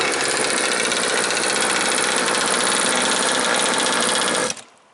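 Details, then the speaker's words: Two-stroke jet boat engine with a swapped impeller, running without its silencer: loud, fast, raspy scream at a steady high pitch with no clean top-end rise and not reaching full speed; the carburetor is thought to need tuning. "It doesn't go as fast. I could It's the the carburetor needs a little bit of a tweak. I can hear that."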